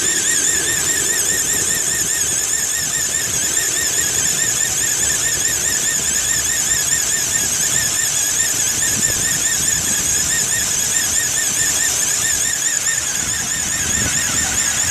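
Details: 2008 Ford Explorer XLT IronMan Edition, cold: loud, steady high-pitched squeal with a fast warble over a quiet idle; belt, tensioner and pulley already replaced, still squeals, owner suspects the fan clutch; not the A/C compressor.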